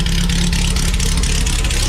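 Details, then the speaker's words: 1969 VW Beetle Baja Bug, air-cooled flat-four, carbureted, cold start after sitting a few weeks with a couple of pedal pumps. Smooth rumbling idle with light, even valve clatter and no stumbles. Normal idle, turnkey reliable. "unbelievable this thing is TurnKey reliable"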